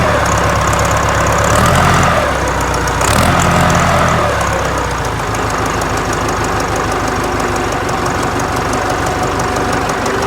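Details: Ford 4040 industrial diesel tractor, cold start after rebuilt injectors installed, valves lashed cold: catches and settles into steady even idle clatter, no misses or knocks, little smoke; running clean and smooth.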